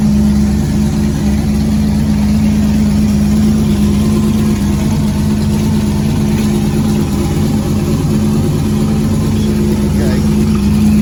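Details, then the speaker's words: Chevrolet Nova on a late-model chassis, after priming and timing. A deep, steady V8 idle with an even lope and no misses or knocks, after the thermostat gasket leak and cracked fuel pump were fixed. Normal idle. "we are so excited that the motor just runs like a top it just will bust off as soon as you turn it over"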